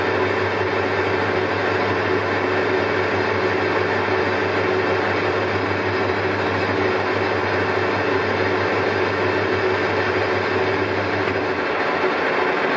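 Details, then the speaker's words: Colchester Triumph 2000 lathe with no fixed steady, taking a 0.005 in skim on a long paper-bag-machine roller shaft: a rough cutting drone with a thin ringing tone. The shaft flexes and chatters, and lighter cuts follow the vibration and worsen it. "starts chattering so hard to get rid of it even at the tiniest depths of car it just follows the existing vibration and if anything just gets worse"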